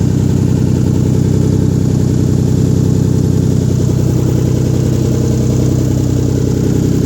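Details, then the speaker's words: Rebuilt 1997 VR-4 first start-up after rebuild, downpipe not yet welded in: deep loud blatty idle with raw unmuffled rumble; loud exhaust from missing downpipe. "no downpipe, that's why it sounds like butt. Exhaust. Downpipe still needs welded."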